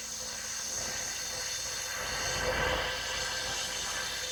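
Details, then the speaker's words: Cylinder leak-down test at 100 psi shop air showing 20% leakage: steady airy hiss swelling as the cylinder holds pressure, air heard escaping; 15–20% or more usually calls for a rebuild. "Anything past 15 to 20%, they usually call for a rebuild. If you listen, you can actually hear the air going by."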